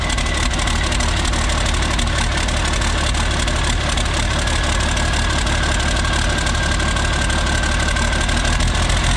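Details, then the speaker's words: Isuzu cab-over diesel truck, cold, straight pipe off the turbo, irregular lumpy idle; runs perfectly with the injection pump wiring harness unplugged, misses and smokes when plugged in; rough running, cause unknown. "Whenever it's unplugged, this thing runs perfect. When it's plugged in, it starts missing"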